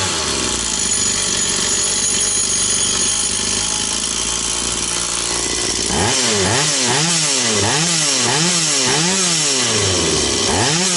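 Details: Stihl 180 two-stroke chainsaw after piston and crankshaft seal replacement: fires up, idles smoothly, then blips cleanly up and down several times with crisp return; revs normal, no air leak anywhere.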